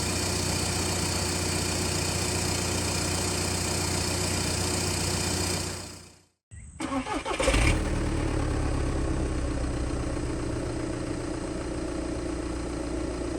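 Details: 2011 Audi A3 common-rail TDI diesel after clogged-DPF delete pipe install and tune: idle cuts out, restarts with a rev flare, settles to even clatter about 220 beats a minute; normal idle.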